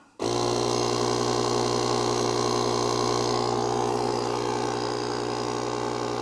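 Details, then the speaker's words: JOMGAND JQP3750 jump starter's built-in tire inflator (150 PSI) pumping a tire, set to shut off at 20 PSI. Steady buzzy motor hum with fast piston chatter, even: normal running. "oh look at that that tire is rising can you believe that it is going pretty quick too for such a small compressor"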